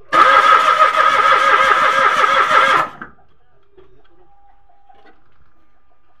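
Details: Mitsubishi Mirage automatic cranks steadily at about three turns a second but never catches; no fuel comes out despite a new spark plug.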